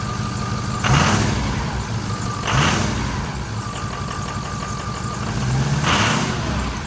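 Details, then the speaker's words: 2006 Ford F350 6.0L Power Stroke diesel after new Motorcraft fuel pump, sending unit and air purge from fuel system (previously no power): steady even idle with smooth low clatter and faint chime; now sounds completely different and good. "that sounds completely different that sounds good"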